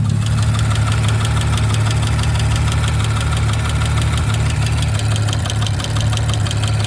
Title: 19 Audi RS5 B9 ticking sound. Anyone know what might be this? #audi #rs5 #b9